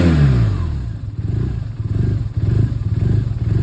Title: BMW R1200R 2011 Rough Idle + misfires